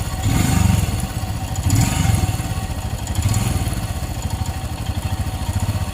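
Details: Royal Enfield Himalayan BS6 single-cylinder engine, hot after running over 24 km, idling: steady thump with a light irregular clatter over each beat; the source of the hot-engine noise is unknown.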